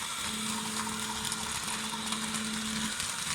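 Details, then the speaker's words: Small tracked lawn-mowing robot spinning in circles outside: steady motor hum under a harsh gritty grinding and groaning with vibration; owner suspects the joints between the track segments; track grinding noise. "I have it spinning in circles hear that grinding sound is the tracks"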